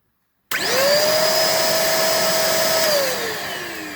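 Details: Bissell vacuum beater bar motor bench-tested before reassembly after soldering its broken circuit-board resistor wire (belt was fine); it spins up quickly to a clean, steady whine, holds, then winds down smoothly; normal beater bar motor run.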